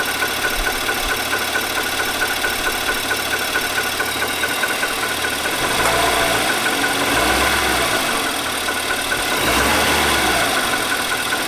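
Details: 2018 Nissan Armada SL, 5.6L V8, about 38,000 miles, idling with a light, fairly regular knock about twice a second over the engine hum; owner asks whether it is normal and points to TSB NTB19-057.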